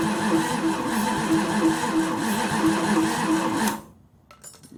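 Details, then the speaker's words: Chrysler 360 LA engine in a 1929 Chrysler, cranking on a charged, boosted battery with no distributor or carburetor fitted: strong, even cranking at about three pulses a second for several seconds. Oil pressure is 35 psi cranking, compression is good, and it is turning over healthily. "it's turned it over good plenty good enough to start it"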